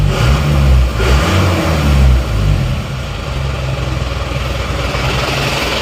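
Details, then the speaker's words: Isuzu Panther diesel after injection pump timing retarded from too far advanced back to standard: even, steady beat with no harsh knock under light throttle, smoother than before, power improved. Normal running. "Suaranya seperti ini, sudah menjadi lebih halus daripada tadi."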